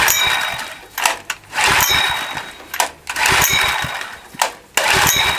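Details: Vintage Honda EX500 generator, long unused, after service (air filter check, oil change): engine catches in ragged one-to-two-second bursts, dying back between them, sputtering and struggling to keep running; oil light always on.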